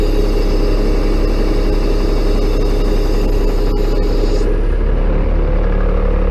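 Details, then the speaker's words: Bucket truck with Caterpillar 3116 diesel, cold start without block heater, cold hydraulic fluid: steady idle with faint irregular ticks and a light chirp over the pump drone as the boom unfolds; cold oil can cause pump cavitation. "You hear it chirping? Ticking? And what we'll do is I'll cut sections and put them next to each other. So that you can hear how it sounds before and after chirping."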